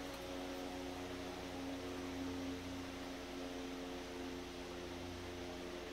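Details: Century S-3 Model 15 skeletal frame desk fan, over 100 years old and restored after many issues, running on speed 3 after high (likely about 110 volts) and speed 2; smooth even mid-pitched motor hum, soft airflow, no knocks or rubbing; normal running.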